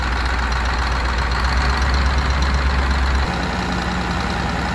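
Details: Rebuilt Scania DC16 PDE 16-litre 500 hp V8 diesel from an R500 truck, 1.6 million km, idling after repair. Deep, even rumble with no misses, stumbles or knocks: normal idle.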